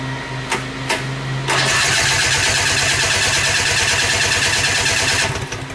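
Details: 1972 Rotax 340 snowmobile engine in a Tomberlin CrossFire go-kart, second start: after a couple of pulls it catches at once into a crisp, even two-stroke buzz. It starts and runs cleanly.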